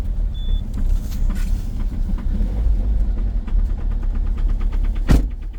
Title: COLD START diesel at -15,1°C with a very strong knocking sound, egr off 2.0 hdi #rybin